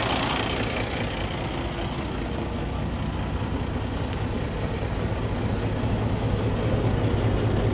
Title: Cummins ISX ISX15 compression leak to the exhaust internal engine failure